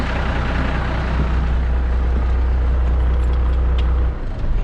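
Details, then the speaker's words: Kenworth K100E Aerodyne cabover 13-speed, diesel idling: loud steady high-pitched hiss of air leaking from valve splitter bushing at rear, cutting off near end; splitter valve leaking air. "let's turn the truck off real quick and i'll talk to you about that again because obviously as you can see and my ears are about that from that ringing that high-pitched ringing that just was going on there ridiculous"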